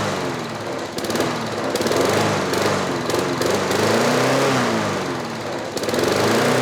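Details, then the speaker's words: Craftsman 6.5 HP 21-inch push mower, trash-picked: the engine runs loud and fast, pitch drifting up and down without settling, because the carburetor governor arm is stuck; later freed with PB Blaster. "that rather interesting our governor arm was not moving in our carburetor and the governor couldn't control it"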